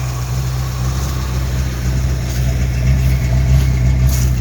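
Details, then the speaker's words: 1983 Fox-body Mustang V8 after a swap to a different carburetor, fixing the high idle that was blamed on the secondaries opening too far: deep, even rumble settling into a steady idle with no stumble or hunting. Normal idle. "So we can hear this thing run now. This thing sounds good."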